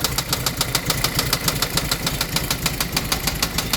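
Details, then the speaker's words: Toyota MR2 engine that started knocking while driving on the highway; oil not low, only dirty: loud, heavy metallic knocking about three and a half times a second over the idle; severe knock from badly damaged internals, engine to be replaced. "my MR2 oh my gosh it sounds so bad I checked it it's not low on oil the oil was dirty but not too bad"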